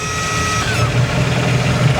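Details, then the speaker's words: Abandoned $750 boat on its first day on the water after fuel line, remote tank, wiring and belt pulley work, idling after a 44 run: smooth, even low idle with a steady hum and no stumbles or rattles, temp good, shifts in and out of gear nicely, no vibrations. "That's a wonderful thing. She goes in and out of gear nice. No weird vibrations. Idle's nice."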